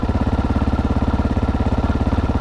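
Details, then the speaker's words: GPX 300R motorcycle idling after new regulator fitted, charging voltage rising to 13.4 V: even regular thumping, no misses or knocks; normal idle, bike fixed. "Alright, so it seems I got the GPX back fully fixed and working."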